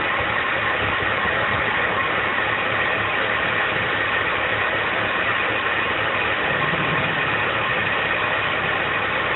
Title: BMW 325i E46 Rough Idle Popping Sound